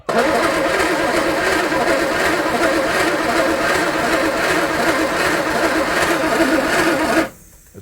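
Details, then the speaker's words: Engine cranks about seven seconds with an even, rhythmic starter churn but never fires. Still a no-start; cause suspected, not confirmed. "well again uh no luck even off camera it almost wants to turn over like you can hear it"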